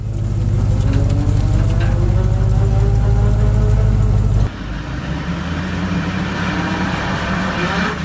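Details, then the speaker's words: Vehicle under way with a damaged differential whose gear tooth flanks are pitted and eroded. A droning gear howl rises in pitch as road speed increases. "se observan como picaduras y pozos en el flanco del diente esto también suele presentar un ruido molesto sobre todo cuando la velocidad del vehículo va aumentando un ruido Como este"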